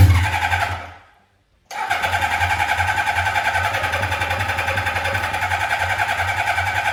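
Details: 1982 Suzuki GS650 Katana on weak, near-dead batteries: steady, rapid cranking of about three and a half beats a second that never catches; the owner thinks it is not picking up gas (fuel starvation).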